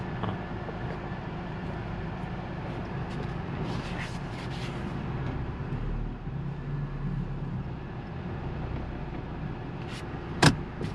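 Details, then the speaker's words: 2014 Ford Focus after fixing low fuel pressure (P0087) limp mode, road test: steady low engine drone under road noise, pulls and shifts smoothly with no stumble; no check engine light, engine runs normally. "Well, it drives, shifts, no problem. Transmission's good. No more check engine light."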